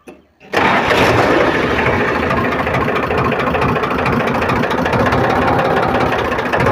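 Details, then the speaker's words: Powertrac tractor diesel right after fuel pump drop timing was set (one drop in 18 seconds, within 15–20 s spec): quick crank, catches, holds steady even idle clatter at stated 500 rpm idle, no misses; normal start and idle. "तो अभी आप इसका sound सुन सकते हैं। ये इसका ideal RPM है 500, और आइडियल आरपीएम पे अभी ये ट्रैक्टर है।"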